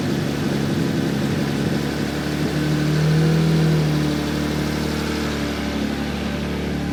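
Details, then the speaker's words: 1JZ-GTE-swapped LJ Holden Torana running after the build: engine revs up and settles with a coarse, raspy, nasty drone; the exhaust sounds rough and the mufflers are suspected of being no good. "that sounds really weird eh yeah it's a bit nasty"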